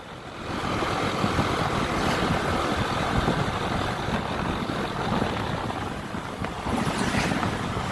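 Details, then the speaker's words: Honda ADV 150 scooter that sometimes would not start, after a loose part was found and secured (battery 12.3 V), on a test ride: the small engine putters at an even idle under outdoor noise, no stumbling or dying; a healthy idle. "Okay, we're testing the straight road and trying the idling stop. Okay, it can still run."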